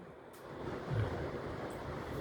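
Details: Mitsubishi Electric MS-GK13VA-T1 air conditioner indoor unit, noisy after cleaning: a soft, even airflow hum with no rubbing, squeal or knocking; the noise is gone.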